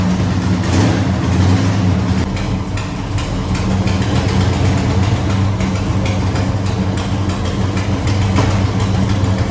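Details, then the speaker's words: Customer's A12 muscle car cold start: loud lumpy idle with sharp raspy puffing each firing pulse; headers dented for valve cover clearance have a hole, nasty exhaust leak; owner seeking manifolds. "it uh it has a nasty exhaust leak I'll show you he's looking for manifolds for this right now"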